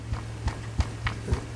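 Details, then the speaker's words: Pre-1934 Emerson Model 23 radio during repair: low steady hum with dull thumps three or four times a second, an intermittent microphonic fault; tapping first suspects the 6C6 tube, then the 42 tube shows the microphonics. "It's almost like a tube causing that. Let me tap around here and see if I can figure out what tube might be causing that. It's probably this 6C6. Sounds like I'm getting some microphonics there."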